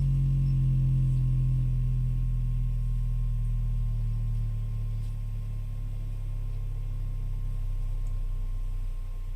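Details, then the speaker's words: Repaired second-gen HomePod, previously clacking loudly when playing music, now plays a clean, steady deep bass tone stepping lower to about 22 Hz with no buzz, rattle or distortion; normal bass playback after repair. "Brother, the fact that a speaker this small can hit 22 hertz is just absolutely bonkers. Insane. Okay, to me that sounds good."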